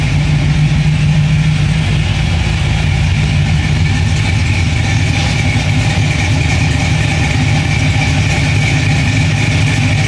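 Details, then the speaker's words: 1957 Chevy wagon V8 after a Sloppy Mechanic stage 2 cam install and new custom tailpipes. Loud, deep idle with a steady, uneven chop; it runs evenly without stumbling and the motor barely shakes. Normal lopey idle. "So sounds pretty good. Hey, Jack. Sounds pretty mean. Pretty wicked. The motor doesn't shake too much, so that's awesome."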